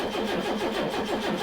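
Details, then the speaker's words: Late-1980s turbo-converted four-door, not driven in decades, cranked off a battery: steady even starter churn with pulsing beat, turning over for ages without firing; no pulley seized, fuel reaching injectors, distributor next checked. "it's turning over for ages without firing at all"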